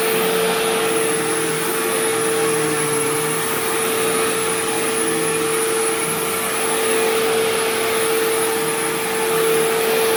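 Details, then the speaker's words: Sharp Twin Energy vacuum cleaning living room: steady piercing high whine at one pitch over the air rush; owner notes it faded after running a while and partly returned after shutoff, cause unknown. "Now, granted, this is a high-pitched whining noise, so my earplugs are probably not going to filter it out."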